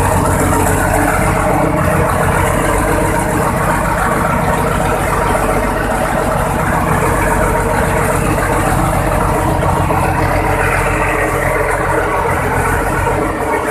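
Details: Cummins VTA-28 725 hp marine diesel, first start after overhaul: deep, steady, even rumble with no knocks or misses; smooth, healthy idle.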